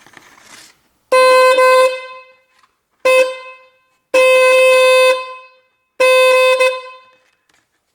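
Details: BMW two-horn system (2000–2022, e.g. E46, E90, F30), high-frequency horn tested alone on battery power; four clean steady bright high-pitched blasts with no rasp or fading: normal high-tone horn.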